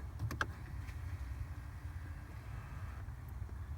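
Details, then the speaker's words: Jeep Wrangler JK/JKU heat/AC blend door actuator under steering column, after replacement and reconnection, set full cold then full hot: quiet smooth motor hum, no clacking; actuator operating normally. "well I hear the motor turning so I'm going to just go ahead and assume that the Jeep is happy"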